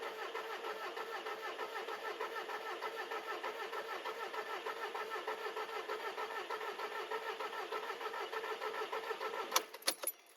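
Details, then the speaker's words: VW Polo 1.6 TDI after a 02M 6-speed gearbox swap, with the emptied fuel circuit being primed. The engine is cranked to confirm timing is correct: even cranking, about three compression pulses a second, no knocking or clatter. Injector returns were left unconnected, flooding the injectors. "Et ça m'a l'air ok, j'entends pas de bruit de claquage, j'entends juste le bruit de la compression."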